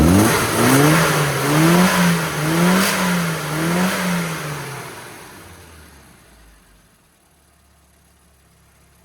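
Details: Classic Mini after on-road tuning, needle changed from too-lean AD to modified AAF and ignition advance set: revs climb cleanly and drop back smoothly to quiet idle, no flat spots or misfire.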